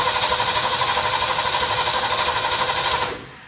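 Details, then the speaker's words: Ford 351 Windsor in Ford F100 rat truck, first start attempt: even cranking about four turns a second with no firing at all, then stops; no spark suspected; cranks but no start. "no fire i think we got a fire problem"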